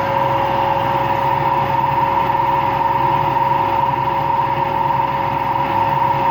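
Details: Washing machine on an empty rinse-and-spin cycle: constant loud roar with a steady hum and no rhythm; owner suspects both motor and drum bearings are worn, no leak seen.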